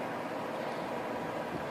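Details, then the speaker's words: DeLonghi Pinguino portable air conditioner after a simple clean (previously wouldn't blow at all): steady, even airy whoosh with no rattle, scrape or wobble; blower fan running strongly and blowing cold air, normal fan operation. "Just a simple clean. Look how strong that is. That is really a good fan."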